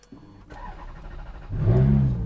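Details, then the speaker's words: Ferrari F430 just delivered from California, sitting in the sun at about 98°F with a known bad battery. Weak, sluggish crank for about 1.5 seconds, then it catches and settles into a rough low rumble: weak battery. "by the way battery is garbage like i said so to start on it it's going to be kind of disappointing"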